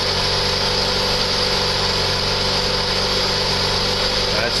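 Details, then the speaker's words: 1.9 engine rebuilt after a dropped valve seat, with new timing belt, lifters, rockers and Autolite plugs, on its first start: a steady, even idle with no lifter tapping, as the lifters pumped up during cranking. Normal idle. "pretty good guys I don't hear any tapping so the LIF was pumped right up when I was cranking it that's good sign"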